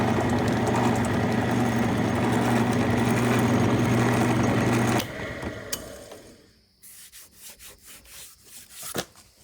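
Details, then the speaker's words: Old electric motor on a 1952 Craftsman lathe, first power-up through a two-prong cord, drawing about six amps: steady electric hum for about five seconds, then power off and a quiet coast-down. Normal motor running. "Let's see if the motor still spins on it. Let's see what happens here. The light's dimmed. It pulls some power."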